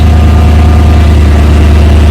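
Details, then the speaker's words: Supercharged 5.4L V8 Mercedes-Benz SL55 AMG started after a battery fix and warning messages cleared: deep, steady low rumble with even hum, no knocks or misfires; healthy normal idle. "man that sounds good"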